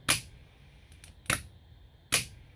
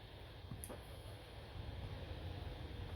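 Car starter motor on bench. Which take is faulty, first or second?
first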